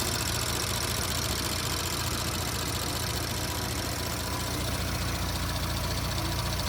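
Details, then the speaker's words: 2017 Audi S5 B9 EA839 V6, 67,000 mi, after engine removal, rocker arm replacement, intake carbon clean, upgraded camshaft adjusters and fresh oil: smooth, even idle with steady low hum, bank-two ticking gone; healthy. "Sounds a lot better now. There's no more ticking coming from this bank."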